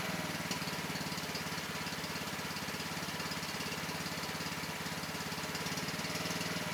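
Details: Cub Cadet XT1 LT42 Intellipower riding mower at its first maintenance. Steady, even putter at constant speed with no misses or knocks; running normally.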